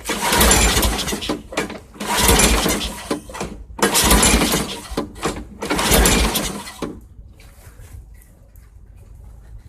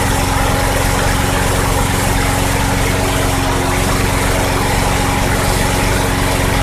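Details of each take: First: 2006 Craftsman 917.376160 push mower pulled from a junk pile, with thin, gasoline-smelling oil and carb cleaner sprayed into the intake: four loud, rough bursts about two seconds apart, each dying without settling into a run. Owner suspects the carburetor is toast. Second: 2006 Craftsman 917.376160 front-wheel-drive push mower rescued from junk pile, tank nearly dry, run on sprayed carb cleaner: steady even single-cylinder drone, no misfires; engine functional and sounds good, carburetor suspected bad.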